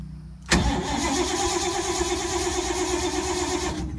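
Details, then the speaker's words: 1952 Ford, not started in a few months, battery being worked: starter cranks at an even pace for three seconds but never fires; owner suspects he flooded it, smells gas, no starting fluid on hand. Cranks, won't start. "It hasn't been started in a few months. Shame on me. I think I made the mistake of flooding it."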